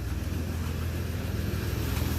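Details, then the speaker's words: 1960 DKW three-cylinder two-stroke: steady even low rumble idle, no knocks or misses; smooth, slight smoke, owner expects about 120 compression across the board. "Oh, yes. Sounds pretty smooth. Ah, that's nice. Yeah, I'm happy with that."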